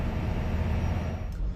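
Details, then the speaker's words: 2009 Prevost H coach diesel, parked with fast idle off; after the driver-initiated parked regen is accepted, RPMs rise to a steady raised drone, even and without surges, burning soot from the DPF; the regen lasts 45 minutes to an hour. "And you can hear that the RPMs are revving up, and it's initiated the stationary regen."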